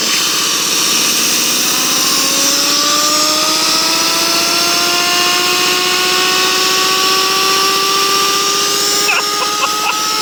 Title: Подшипник гудит как Yamaha R1